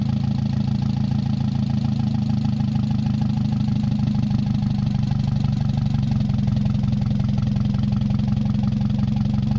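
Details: Mazda 626 first start after cylinder head reassembly, rest of exhaust not connected, oil overfilled: idle hunts and wavers with heavy shaking pulses and some knock. Owner suspects O2 sensor misreading the open exhaust, possibly old gas or bad EGR. Rough fluctuating idle.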